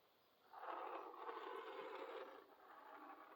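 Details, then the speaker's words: HO slot car axle rolled slowly by hand: a short, even rolling whir with no rhythmic wobble; the straightest axle, unlike the bent ones. "see that one sounds probably the straightest they didn't have no wobbles on at all"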